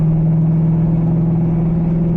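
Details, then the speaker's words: C5 Corvette just fitted with new wheel bearings, spark plugs and wires: steady low road drone and even engine hum with no growl from the wheels; quiet ride, owner suspects shocks for a remaining issue. "Bro, just listen to how quiet the ride is. I'm so hyped."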